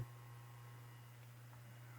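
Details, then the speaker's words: Emerson Bullet fan, model 77646 SL, rewired with the gearbox off and not yet lubricated, run at 116 V and drawing about 0.73 A against a 0.9 A rating: quiet, steady low hum with no ticks or rubbing; runs smooth, normal. "i turn it on low it's running smooth of course the gearbox is off of course this is just the rotor and the stator"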